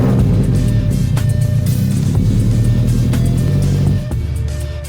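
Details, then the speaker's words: Light titanium drift-car exhaust after the cracked section was repaired with welds and JB Weld still curing, engine started to check for leaks: deep, steady, even idle with no puffing or ticking; no air escaping, normal idle. "there's no air escaping so we're good there we have it the exhaust is is fixed"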